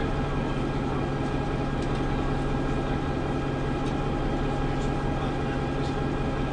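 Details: Preserved GM Buses MCW Metrobus Mk1 5120 (SND 120X) diesel, 2012 running day: heavy idle with steady low drone but uneven, lumpy beat; known idling problems, bad diff, sometimes won't engage third gear; cause not identified.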